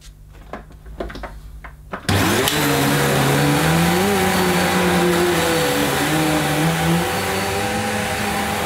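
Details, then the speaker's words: Electrolux Cyclonic Lite bagless upright vacuum (~2005, new) on carpet at shortest height setting: motor spins to a smooth steady whine with the brushroll audible; earlier the cyclonic unit was possibly not seated properly. "well that sounded a bit different didn't it I could certainly hear the brush this time"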